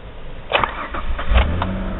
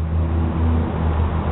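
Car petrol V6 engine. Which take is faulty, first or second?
first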